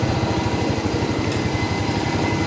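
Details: Rusi 125/150/175 motorcycle after fitting a new 10A fuse with a drained battery, kick-started then revved: fast, steady single-cylinder exhaust beat without misses or knocks; running normally.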